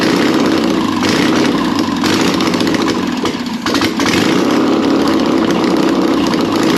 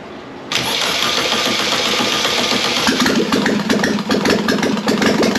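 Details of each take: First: Air-cooled 1600cc VW Beetle engine, candidate for a 1974 VW Bus, run with no exhaust or headers: loud raw open-exhaust run with throttle swells, then dies down; even firing, no knocking, normal running. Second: Air-cooled 1600cc VW Beetle engine tested for a 1974 VW bus: cranks, then catches into an uneven, hunting idle with ragged blips on throttle; it runs only on the accelerator pump, starved of fuel.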